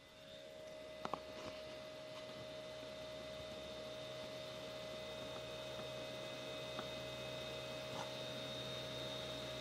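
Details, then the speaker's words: Creality CR6 SE 3D printer's stock motherboard fan before the Noctua upgrade; steady whirring with a constant mid-pitched whine and faint hum while the stepper motors stay quiet; noisy cooling fan. "it's just the fans that are generating the noise so that was the um motherboard fan"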